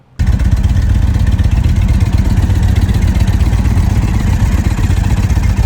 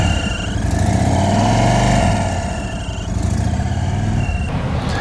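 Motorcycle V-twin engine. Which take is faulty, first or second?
second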